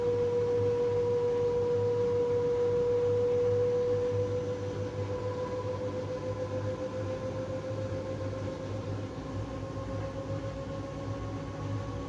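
Thin, clear tone held steady then creeping slowly higher as the drum turns, over a soft hum; squeak during tub clean, cause unknown.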